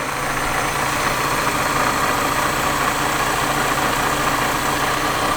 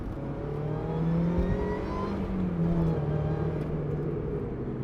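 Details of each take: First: Supercharged Mazda MX-5 NA6 (Jackson M45 supercharger) after service where idle screw was altered: idle drones with uneven shaky pulse, almost misfire-like; rough idle from misadjusted idle screw, owner resetting it toward 1,200 rpm. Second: Supercharged Mazda MX-5 NA6 under acceleration while driving; smooth whine climbing in pitch with revs over a steady engine drone; healthy supercharger whine.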